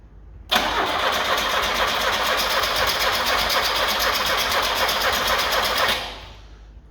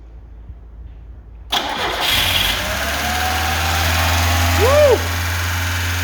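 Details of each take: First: Carbureted Lada 2104: about five seconds of steady rhythmic cranking, roughly four turns a second, that never catches. Owner suspects a bad fuel pump starving it of fuel, though it is unconfirmed. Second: Carbureted Lada 2104 with a suspected bad fuel pump: it cranks, catches quickly and settles into a steady idle with a brief chirp. It keeps running well even without the choke.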